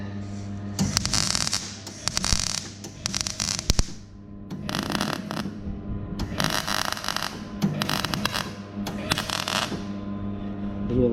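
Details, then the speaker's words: Welding a new DPF elbow joint at the turbo connection on a Mercedes Sprinter: crackling arc in short irregular bursts with popping and spitting where the steel is weakened, needing extra filler; welding sputter on weakened metal. "that sputtering there, that's a bad bit of metal in there. So I've had to put a bit extra in. So that bit's not as good as the rest."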